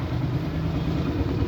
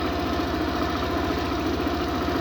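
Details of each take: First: Suzuki Burgman scooter with ISC problem, won't start without throttle, before ISC calibration: low, slightly uneven deep thrum idling around 1,100–1,300 rpm versus a 1,700 ±100 rpm neutral standard; low unstable idle. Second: Suzuki Burgman scooter after ISC calibration (previously wouldn't start or idle without throttle) on diagnostic tool: quick, even low putter holding steady at about 1600–1800 rpm, within the 1700 ± 100 spec; normal stable idle.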